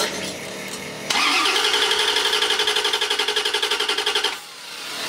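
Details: 1994 Corvette LT1 with Optispark distributor problems, setting code 16 (low resolution) after replacement distributors, a spark tester showing spark and a battery charger connected: steady starter cranking at about four turns a second, no firing; cranks but won't start.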